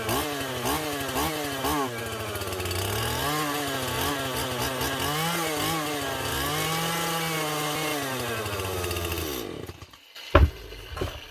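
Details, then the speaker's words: Stihl MS181C two-stroke chainsaw, first start after a carburetor rebuild with a cheap kit on its aftermarket carb (before repair it ran rough, low on power, then wouldn't start); primer pumps, choke, one pull. Crisp steady high rev with brief surges for about nine seconds, then shut off; running normally. "nice one did not think that was going to start as easily as I did few pumps of the primer throw on the choke one pull where she goes"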